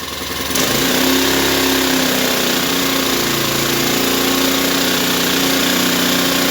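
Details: Ryobi 1200 (1.2 kVA) generator, nearly new with 3 hours use, stored 3 years, previously only ran on full choke; after carburetor refit, air cleaner off, started on choke: catches within a second, even steady tone, no misses or hunting; normal running.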